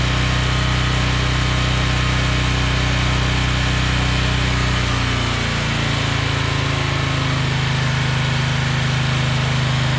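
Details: Generac 7000EXL generator running after sitting unused for 10+ years, with fresh fuel and the air filter and oil checked. Steady, even hum with a smooth drone that shifts pitch slightly midway; it runs cleanly and healthy.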